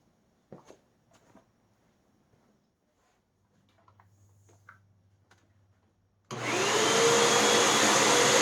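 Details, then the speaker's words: Hoover WindTunnel 2 Whole House Elite upright vacuum, tested after two new brushroll bearings, a new belt and three patched feeder-tube holes. Motor spins up to a steady, even whine with rushing airflow, running smoothly and normally. "and we have a machine that works just fine as far as i can tell let's take it for a test"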